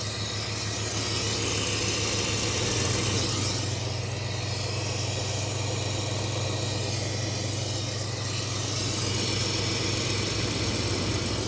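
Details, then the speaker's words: 1995 GMC, idling while distributor is rotated: loud airy intake vacuum hiss swells then settles, caused by retarded ignition timing being set to 0°. "see how much quieter that's getting now"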